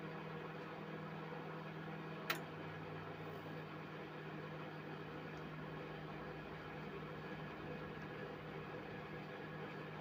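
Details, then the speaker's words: Mirta MW-2501W microwave repaired for not heating: after clearing debris that had jammed the fan, it runs with a steady low hum, even fan whir and one sharp click, and no longer drones. Water heats and steams, so operation is normal. "І вже, як бачите, вентилятор обертається, але все рівно я чую, що він вже не гуде."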